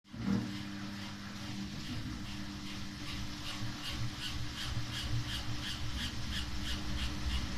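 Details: New Samsung WW5300 washing machine (WW95T534CAE), on only its second use, is very loud from the beginning: a steady motor hum with a loud rhythmic swishing clatter, nearly three beats a second.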